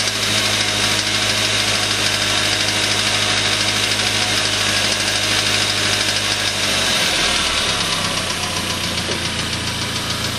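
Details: Suzuki Aerio with a spun rod bearing: steady, heavy bottom-end knocking about three per second throughout the run; engine was replaced under warranty.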